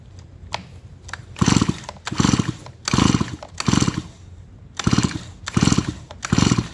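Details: Stihl MS170 chainsaw that had sat for a while, with compression confirmed: repeated pull-cranking about once a second with no firing; the spark tester shows no spark.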